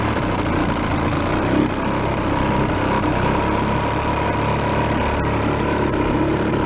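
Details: 1937 Sears Water Witch 2.5hp outboard, 83 years old, revived after about 60 years in a shed: constant buzzing two-stroke drone, even pitch under load on water, no stumbles or misfires, getting warm; normal running.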